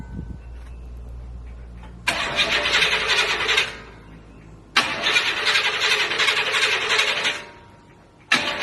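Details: Buick Regal carbureted engine, cold start with a chokeless carburetor and the air cleaner off; three cranking bursts of two to three seconds with pauses, never settling into a clean idle. Owner says it needs tuning.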